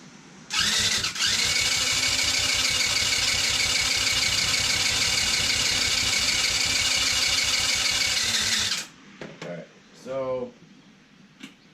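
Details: Taotao 110cc, cheap, with spark confirmed, cranks steadily about three beats a second for eight seconds without catching; compression measured around 70 psi, almost none, causing hard starting; owner plans to first try tightening the cylinder head.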